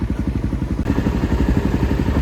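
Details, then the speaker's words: Suzuki motorcycle in Laos on a test ride after repeated engine rebuilds for water in the oil: a steady, even exhaust beat under way with no knocks or rattles, running well; the oil is still to be checked for water. "Bike चल रही है, आवाज अच्छी है, उम्मीद है कि तेल में पानी नहीं है।"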